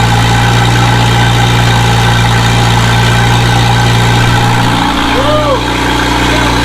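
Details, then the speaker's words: Volvo 745 turbo, first start after turbo, exhaust manifold and new seals installed: steady, even idle held slightly high when cold, then pitch drops and settles; runs well, some expected smoke. "um yeah she's running guys sounds good"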